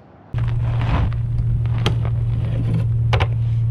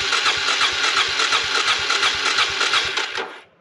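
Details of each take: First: Suzuki DR350SE dirt bike revived from abandonment, started after new parts fitted and valves cleaned: cranks and fires, then settles into a steady, even single-cylinder thump with no misses or tapping; normal idle. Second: Suzuki DR350SE abandoned dirt bike, after a new battery and fresh gas: the starter whirs with steady compression pulses of about three a second, but the single never fires; crank, no start.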